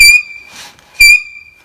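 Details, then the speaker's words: Mayrath grain auger system, shaft separated and turned by hand: two sharp high-pitched squeals about a second apart; dry, worn bottom bushing, to be pressed out and replaced. "yep and we turn this by hand you actually hear it so there's our squealing"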